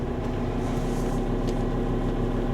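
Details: Car engine idling with a constant low whining hum from the power steering pump when turning the wheel; persisted after two fluid changes with flushing; owner then tried a power steering additive.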